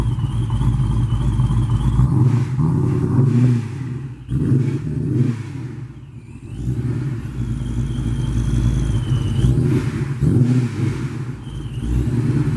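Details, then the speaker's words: Jeremy's car (4.6 mentioned) after a cold start with new spark plugs, fitted to cure a high-rpm stumble/spark blowout, on 93 octane pump gas: settles to an even idle, then clean rev blips with no misfire; runs fine. "so all I'm done we're about crank it make sure it runs fine"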